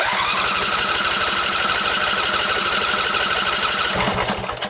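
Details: Craftsman LT1000 20hp riding mower, plug wires off, cranked to let the fuel pump prime the carb: steady starter whir with even cranking pulses, never fires; carburetor needs repair.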